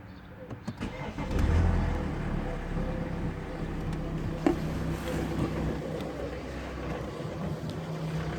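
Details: BMW 525xd 2012 N47 diesel with 221,000 km, before the timing chain kit replacement. It starts and idles with a light, uneven metallic timing chain rattle under the usual diesel clatter.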